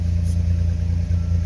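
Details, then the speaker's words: 1988 Chevrolet S-10 pickup, old work truck long in storage, started right on the button: deep, even low rumble with a smooth, regular beat and no knocks or ticks; runs smooth, healthy normal running. "It's fired up. Runs smooth as silk. You can set your wine glass right there."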